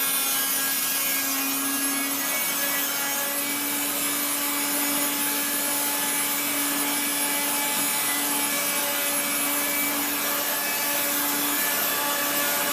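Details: 1970s Regina Electrikbroom 3-speed vacuum while vacuuming the floor: rough scratchy grinding under the motor's even hum; motor and fan dry after being washed, worn bearings suspected.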